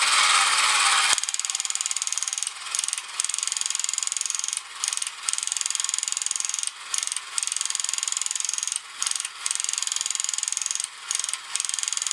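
Fast, even ratchet clicking with brief regular pauses as it shifts between walking and display modes; the toy gearbox runs healthy.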